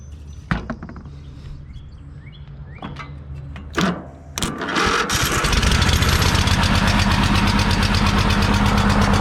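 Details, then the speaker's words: Free Troy-Bilt riding mower, carb shut-off solenoid suspect and starter weak: a few clicks and failed tries, then the engine catches and settles into a steady, even run; engine sounds healthy. "There it is. So yeah, it runs and moves."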